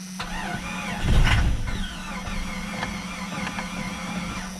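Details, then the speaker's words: Jeep Cherokee with rot-prone metal fuel tank, starter fluid sprayed in: starter churns steadily about four beats a second, one brief catch fades without running; no fuel at filter, dead fuel pump found, fuel starvation crank no-start. "so I just think maybe it's out of gas this is one that has one of those metal gas tanks so those things are like prone to rotting"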